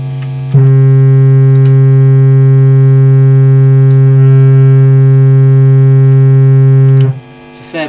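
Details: Marshall JCM900 guitar amp, unused for two years and brought in for low-volume distorted output, switched to channel one after warming up: a steady, loud low buzz with nothing playing; strong hum on this channel, cause unknown.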